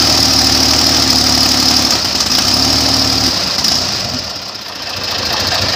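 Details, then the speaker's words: Newly built airboat engine at first fire and prop test, blade pitch being set for proper rpm (staying under about 3000–3200), possibly still cold: loud engine and propeller roar holds then sags and breaks up; crew wonders if blades are over-pitched; engine stumbling under load. "you don't think the blades are pitched too much oh you can hear it's breaking up"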